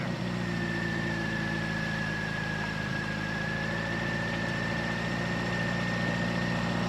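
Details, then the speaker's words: Austin A30 after restoration, just started after 6 months of sitting, cold on choke: steady, even low idle with a smooth rhythm and no knocks or misses; the engine purrs healthily. A broken exhaust bracket was noted. "She's purring like a beauty. Yeah. Sounds good. Oh yeah. Sounds nice."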